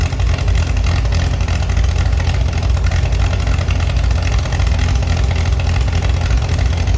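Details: Chevy SS under restoration, engine restarted after the owner lowered the fuel level to fix a mistake. Even low rumble at idle with quick, clean response when blipped, no misses or knocks: sounds very good and reacts well.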